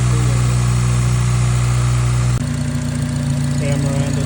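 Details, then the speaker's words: K24A2 Acura RSX after new thermostat, knock sensor and throttle body adapter, plus cleaned IACV and throttle body, coolant not yet full: steady, even low idle with no knocks or misses; radiator fan not heard yet. Normal idle. "car still is not fully at the top all right guys besides it running better I did not hear the radiator fan come on"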